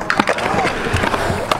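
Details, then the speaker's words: Pro scooter on old 100mm plastic-core Yak wheels at a skatepark, wheels not fully tightened because plastic compresses and bearings shot: rough, gritty rolling rumble with faint wavering whine, speed dropping from dry, dragging wheel bearings. "it up, but the bearings do not roll. So boy does the speed go down."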